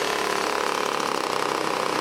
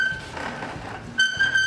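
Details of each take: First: 1980s Toro S-200 snowblower, a small two-stroke, started and leaned back to clear out: a steady, even buzz with no surging, sputtering or knocking. Running healthy. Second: 1980s Toro S-series snowblower rolling: shrill, flute-like repeating squeak from dry wheels that need oiling.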